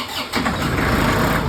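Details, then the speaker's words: Massey Ferguson 1736 diesel tractor with a hard-starting problem, after the gummed fuel filters were changed (oil level also suspected). On a cold start it cranks briefly, catches almost immediately and settles into a steady rattle. Normal cold start. "Three. That's good. That's an improvement."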